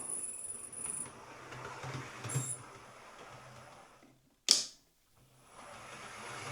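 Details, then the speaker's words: Hornby R3903 ScotRail Class 43 HST model locomotive sent in for a whistling or squealing noise: after oiling a motor bearing, a faint thin high whistle still comes and goes over the running hum; the motor is suspected, and it runs okay in one direction. "Okay, power on. Nah, it's still doing it."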